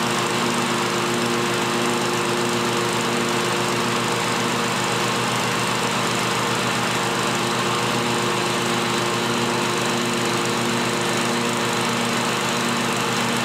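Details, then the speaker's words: John Deere L-Series lawn tractor running after a deck spindle replacement, a constant bearing whine over a steady engine drone: both deck belt-guide idler pulley bearings are worn and need replacing. "Like I said, you guys can probably still hear those two uh idler bearings or pulleys rather."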